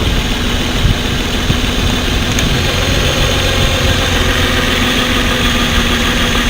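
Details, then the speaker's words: Pickup truck with a flashing check engine light and code P0350, tested by unplugging each ignition coil connector and swapping coils. A loud, lumpy idle with an uneven beat: misfire from a failed ignition coil. "aquí ustedes pudieron ver la falla claramente verla y escucharla se dieron cuenta como a la hora de que les conectaba cada conector el sonido del motor cambiaba ya identificamos el problema"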